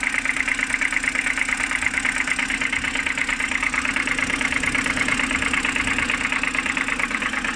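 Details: BMW N52B25, cold morning idle: steady ticking knock about two a second over a fairly even engine note, seemingly from the oil filter housing side; cause unknown.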